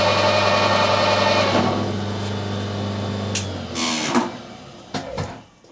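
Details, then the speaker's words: SNNC 165 lathe with ER40 collet chuck after final setup, runout within 1.5 tenths at the chuck and 2 thou at 10 inches out: steady low hum and smooth even whine, no knock, then clean run-down; running true. Normal running. "So that's now running nice and true."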